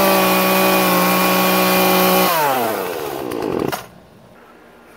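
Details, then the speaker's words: Poulan P3314 14-inch chainsaw at full throttle after turning the H high-speed carburetor screw about one turn counterclockwise to cure bogging: clean steady high scream, no stumble or bog, smooth wind-down; now running right. "sounded great that was a little challenging doing that with one hand when holding the phone camera but getting bogged down very happy with that"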